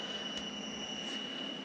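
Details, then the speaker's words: USB audio mixer plugged into a USB hub alongside other audio sources: steady thin high whine over faint hiss; ground loop noise. "hopefully you can hear that that is a nasty sound and i'm having trouble amplifying it i actually have the speaker turned up all the way but in the headphones it sounds really bad"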